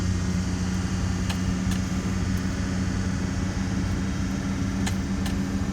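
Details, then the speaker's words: 1999 Infiniti QX4 after timing belt and water pump replacement, battery reconnected, coolant being burped: first start gives a steady, smooth idle with no knocks, ticks or squeal, sounding healthy. "I'm going to go ahead and start the vehicle. Hey, sounds good so far."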